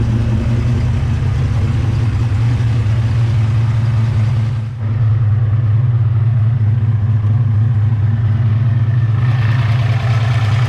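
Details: Turbocharged 363 stroker Ford Mustang Fox body, roughly 20-year-old turbo kit: heavy, lumpy V8 idle with a faint, fast puffing tick riding on it, an exhaust header leak at idle present for a long time.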